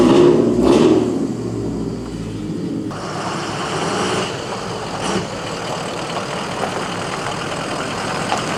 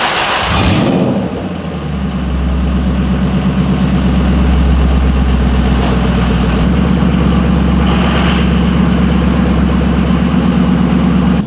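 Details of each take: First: Lexus LS400 with aftermarket headers and exhaust: harsh, raspy, droning idle with a loud rumble, far louder than stock. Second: Lexus LS400 started: brief crank, quick catch, smooth even low idle with no knocks or misses; runs perfectly healthy.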